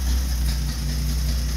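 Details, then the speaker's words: Old Nash flathead six, 6-volt positive earth, first start after long storage: steady low idle with an even, unhurried beat and no knocks or ticks, blowing some black soot. Normal idle. "sweet old girl we got her running"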